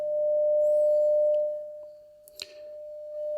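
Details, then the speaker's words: Telefunken Opus 8 tube radio, signal-generator tone fed into the gramophone/pickup input: clean steady mid-pitched tone fading as the volume control turns and returning undistorted; audio amplifier stage (EL84 output) working properly. "okay so the audio amp is working okay"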